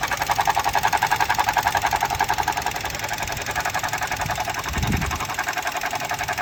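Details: 2018 Suzuki Jimny, fast regular ticking chatter near 220 a minute from the engine's back left area, started last week, comes and goes for seconds to minutes; abnormal mechanical noise, cause unclear.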